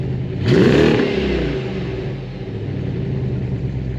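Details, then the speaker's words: BMW E53 X5 4.8is, 4.8 V8 355bhp with LPG conversion, engine bay shows no leaks: quick crank, catches and flares, then drops to a smooth, even idle with no knocks or misses; healthy V8 start. "So let's shut it down, let's fire it up, let's hear how this sounds, because it's pretty decent, and then we'll take it for a spin."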